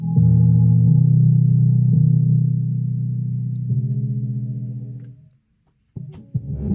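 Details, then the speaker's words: Defender SPK 2.1 speaker system (subwoofer had only hummed while two channels worked): deep, clean bass plays steadily from the subwoofer with no hum or buzz; balance knob turned left and right, everything works. "короче все работает повернул ручку баланса влево вправо и думал почему же она не работает короче как то так"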